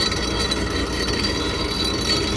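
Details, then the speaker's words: Rheem rooftop two-stage heating unit with no heat: a continuous harsh rattling whir with a high whine over the motor hum, coming from the inducer (draft) motor, which is shot and needs replacing. "That's coming from the Inducer motor. So we'll get you some video and some pics on this here. Okay? That sounds fantastic. All right, guys. So this Inducer motor is shot."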